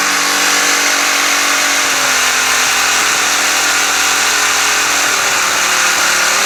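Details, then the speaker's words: Pressure washer, engine runs fine: when pump engages it runs normally about a second, then a harsh, gritty constant metal-on-metal grind over the engine drone; pump grinding internally, owner suspects low or leaked pump oil. "it runs fine for like a second and then it goes to like this this sound where it seems like it's metal grinding on metal"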